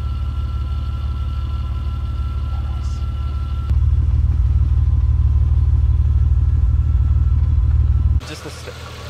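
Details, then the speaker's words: 1971 Nissan Skyline Hakosuka GT-R tribute, straight-6 with ITBs, dyno-tuned, static fuel pressure, warm idle around 900 rpm; steady even idle stepping smoothly higher, no ticks, knocks or misfires. "Idle is nice, obviously you can hear no ticks, no bangs, no nothing like that. Nice smooth idle, even with the ITBs."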